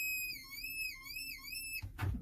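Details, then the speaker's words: Ford F550, brake pedal pressed hard: high, wavering whistle-like squeal under the dash, then it stops; vacuum brake assist leaking vacuum past the plunger, with a slight hiss. "customer states that when you push on the brake pedal really hard it sounds like there is a child screaming under the dash"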